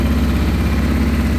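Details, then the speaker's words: 1989 Honda Transalp 600V V-twin, ice-cold start on choke, idle rising before choke goes to half at about 1,300 rpm; even low thumping twin beat, slightly raised steady idle, no misses; normal cold idle on choke. "Oh, there we go. We're getting higher. So I'll bring the choke down to half. About 1,300 RPMs."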